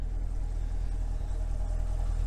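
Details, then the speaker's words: Salvage Corvette at auction, front-end collision damage, started right up: low, even V8 rumble with a steady beat and no ticks or knocks, quiet and healthy; normal idle. "sure you guys can hear it it's as quiet as you'd want any sports car to be it sounds really really healthy"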